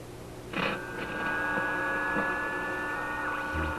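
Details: Simplex antique vacuum tube radio under troubleshooting at full voltage: steady high whistle over low hum, sagging and wavering near end; suspected set falling into oscillation, not a plate contact or short; unconfirmed.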